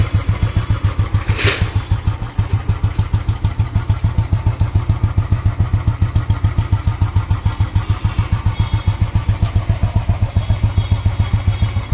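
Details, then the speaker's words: 2009 Royal Enfield Electra (old Bullet) single-cylinder idles before restoration with a steady thump of about 3.5 beats/s and a faint extra mechanical noise; the engine is judged okay, and the noise is to be fixed with some settings. "Engine की condition वैसे ठीक है इसकी, engine बिल्कुल okay है इसका। जो कुछ आवाज़ आ रही है ये हम कुछ सेटिंग कर देंगे इसकी।"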